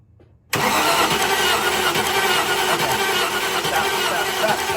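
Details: 1995 Range Rover Classic, 4.2 V8 long wheelbase, with fuel pressure confirmed: steady fast cranking for over four seconds with no catch. No spark shows on the gap tester even at its minimum gap, so the coil is replaced next.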